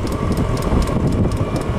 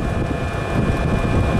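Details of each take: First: Diesel heater after oven-cleaner cleaning, burning off residue outdoors on a windy day: harsh rough roar with a rapid ticking about three per second, running no better than before and burning mostly outside; cause unconfirmed. Rough roaring combustion. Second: Diesel heater after oven-cleaner cleaning, leaned out by lowering maximum fueling: steady, even low roar with no surging or popping, burning cleanly, sounds right. Normal diesel heater burn.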